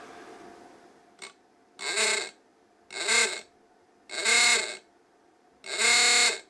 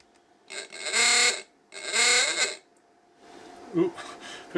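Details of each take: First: Klaxon ahooga horn for a 1953 Chevy Model 3600 truck, bench-tested at about 5 volts via series resistors: five even rising-and-falling blasts about two seconds apart, full and clean; horn works fine on reduced voltage. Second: Klaxon ahooga horn for a 1953 Chevy Model 3600 truck, bench-tested at about 5 volts through series resistors: two long rasping blasts, note sagging slightly as the very hot resistors starve the motor of voltage.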